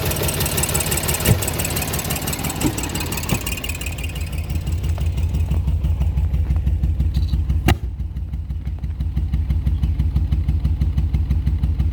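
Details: 1985 VW Golf Cabriolet at idle; a low thump around three beats a second stumbles unevenly, a misfire that the owner suspects comes from bad ignition or cam timing, fuel injectors or vacuum leaks, unconfirmed.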